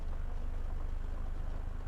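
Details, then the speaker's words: Suzuki Ciaz 1.2 L, CVT, after throttle body cleaning for low idle, stumbling and sluggish running; idle holds steady at 700 rpm with no shake or stumble, A/C on and off; healthy idle. "รถไม่มีอาการสั่นไม่มีการสะดุดรอบอยู่ที่700รอบนะครับในขณะเปิดแอร์และปิดแอร์นะครับ"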